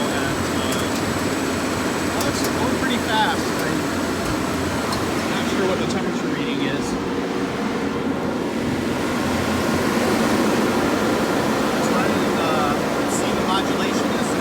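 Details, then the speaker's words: Onan generator modified with variable speed cooling fan instead of crank-driven fan: low even hum with soft steady hiss, no knocks or surges; runs smooth, now quiet enough neighbor couldn't hear it. "new configuration that i ran it for half an hour and called my neighbor and he couldn't hear the generator running he could hear it previously"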